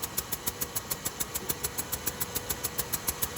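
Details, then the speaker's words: 2007 Buick Rendezvous, GM 3.5 engine, no overheating: crisp, even ticking about three per second at idle, like a puffing leak, from a head gasket blowing at cylinder two. "it was still sealing until this point right here and that's what we heard seeping out blowing out fill your head gasket"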